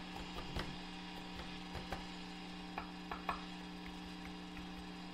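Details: Old single-ended 3W reel-to-reel conversion tube amp, switched on with nothing plugged in, heard through its internal speaker: steady low hum with scattered clicks and crackles from a noisy, microphonic preamp tube; fixed by removing the tube.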